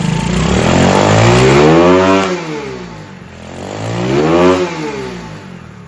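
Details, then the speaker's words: Honda CT70 clone (Icebear Champion) with a Nibbi 22mm carb and new Nibbi throttle: two clean revs to high rpm, dropping back without stumble or misfire; runs strong after the throttle fix. "Oh yeah, she's a beast."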